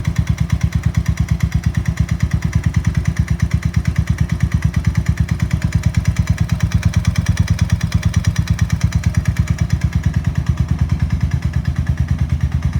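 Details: Suzuki LS650 single-cylinder: hollow, regular knock about three times a second; piston slap after a seizure at about 4500 rpm climbing a 6% grade into strong headwind; teardown found a severely seized piston and .009"+ piston-to-cylinder clearance.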